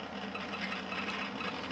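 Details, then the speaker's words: Old budget-built desktop PC booting Windows 7 without fresh install: constant whirring hum with faint irregular scratchy crackling ticks; abnormal noise, source unclear, seemed to stop after restart. "Yazıyor herhalde gördüğümüz gibi DT Window 7 kur geri almadı falan bir şeyler yazıyor cazır cazır ses geliyor"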